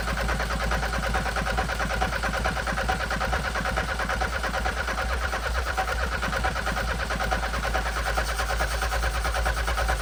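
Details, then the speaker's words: Audi 80 petrol engine bought sight unseen, no-start: starter churns at a steady, even beat of about two compressions a second but never fires; strong raw fuel smell while cranking, injectors not seen spraying; cranks but no start. "R: Nope. Completely dead U: Okay R: The only thing I can say is that every time we crank it, it smells a lot like raw fuel"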